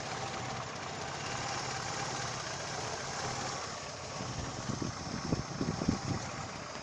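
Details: Daewoo Lanos alternator belt drive at idle: quiet, even petrol idle with no squeal or chirp from the belt; the accessory drive sounds settled.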